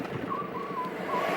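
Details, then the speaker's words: Van crawling along a motorway with its broken drive shaft centre support bracket replaced by a ratchet strap: high wavering squeak over road roar as the drive shaft rubs. "I don't know if you can hear all this squeaking. The van, not the van, it squeaks, and we've been hearing that squeak for a bit today, haven't we? And we figured this must be what it was. It's the drive shaft braking,"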